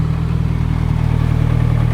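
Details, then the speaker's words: Nissan Cefiro with fully built Honda K24A2 swap and T56 Magnum, rebuilt after a rod went through the block: steady even low idle, smooth firing pulse, no knocks or hunting; 90 psi oil pressure now idle is not high, 119 coolant temp. "Vitals are looking good. 90 pounds of oil pressure now that it's not idling high. 119 coolant temp."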